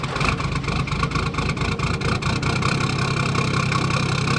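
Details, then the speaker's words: Toyota Landcruiser 1HD-T diesel, 445,000 on the clock, cold morning start after injector rebuild: catches and settles into steady, even clatter with no stumble and no white smoke; normal cold start. "All right, so I've recreated the same conditions. So cold start in the morning. Let's see how it starts and then if it can make it up that hill."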